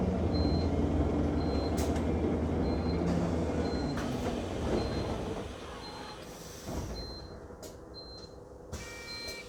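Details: Enviro 200 MMC 10.9m London bus on route 364: a short high-pitched beep about once a second, nonstop over engine and road rumble; warning beeper of unknown cause.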